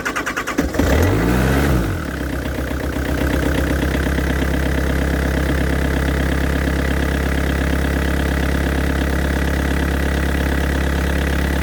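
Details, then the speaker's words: Yanmar VIO55-5B excavator diesel restarted after a fuel filter change with the fuel turned off: short crank, it self-bleeds and catches within a couple of seconds, then settles into a smooth, even low idle with no misfire. "Oh, I love diesels that self-bleed. So much better than the old Petter."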